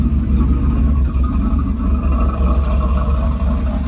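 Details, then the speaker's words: Small-block Chevy V8 in a Cutlass with new exhaust, after mechanical fuel pump replacement: a deep, steady idle burble with throaty exhaust and no knocks or misses; runs well, though a noise possibly from the torque converter is suspected. "but as y'all can see she running good she sound good"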